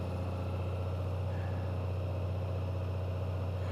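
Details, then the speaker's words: Honda Gold Wing DCT warming up after a cold start in the 30s: smooth, even hum with a steady low beat, no knocks or misses, idling up at about 1800 rpm; normal fast cold idle. "So you can hear it's idled up quite a bit. The RPMs are reading about 1800, so it's pretty cold."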